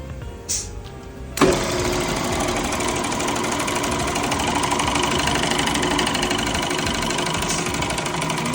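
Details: Car wash high-pressure pump, rebuilt, tested on high-pressure soap: hard, fast, uneven rattling knock about three per second under pressure; valve parts reassembled in the wrong order and jammed.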